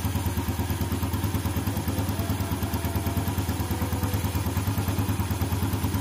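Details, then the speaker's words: 2014 Yamaha Jupiter Z1, whose clatter appeared with the engine cold: after cleaning water and dirt out of the crankcase breather hose, a steady, even single-cylinder idle at about three pulses a second with the clatter gone. "setelah selangi dibersihkan air itu dibersihkan semua suara kletek-kledek hilang"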